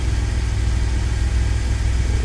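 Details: 2000 Chevy Astro idling at about 830 rpm in open loop, with zero misfires recorded; it had an intermittent crank-no-start and died while driving, with the scan tool pointing to the crankshaft position sensor. Low, even idle rumble with no stumbles.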